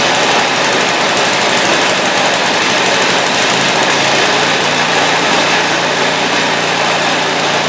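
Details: Scrap-heap snowblower after reassembly with a new choke: a steady, busy single-cylinder buzz at fixed governed high speed with no surging or misses. The engine sounds healthy and runs evenly.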